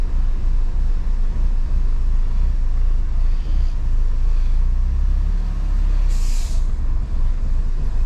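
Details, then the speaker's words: Mini Cooper, about 2008, that won't accelerate: idle is uneven, lumpy and shaking with an irregular bad misfire; throttle pedal and voltage check fine, no fault codes stored; DME internal fault later addressed by programming. "sí me preocupa ese mix fire lo raro ahí está el mismo ahí lo ven cómo tiembla ahí está el más falla"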